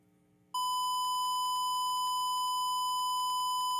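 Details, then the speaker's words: Guitar wireless system test: steady high test tone with faint irregular clicking ticks running through it; the wireless link adds clicking to the sound regardless of level. "You hear that clicking? That clicking, that's what I'm talking about. That's what's getting into my sound."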